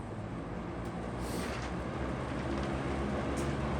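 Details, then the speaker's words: Vintage McGraw-Edison Comfort fan on low speed: steady hum with a fast, uneven rattle from start-up; source of the rattle not found. "We'll start with low. You can already hear the rattle."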